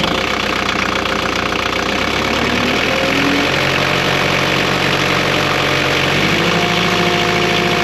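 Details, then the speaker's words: Engine idling after exhaust repair with exhaust refitted: loud, steady idle with an even drone shifting pitch slightly, no rattle or blowing leak; exhaust sounds sealed and quieter, normal idle. "definitely quieter if you ask me all right"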